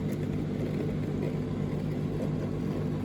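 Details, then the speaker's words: Street-found Indesit IDCE8450 condenser dryer, heard from the back during a towel load: constant low hum of the top-mounted condensate pump, float switch clicking, tank still dry. Continuous running is normal for this dryer. "well I've just come around to the back and it does sound like there's a pump running"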